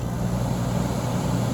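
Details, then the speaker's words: Late-1980s Emerson Quiet Kool 10,000 BTU window air conditioner, thrift-store unit with coils cleaned and sanitized; compressor started from fan-only, low speed. Low steady hum with no clatter or strain, barely audible. Normal compressor start-up. "i see why they call these the emerson quiet cools well because this one the compressors you barely hear the compressor start up i mean you hear it start up a little bit but most of that compressor is silent"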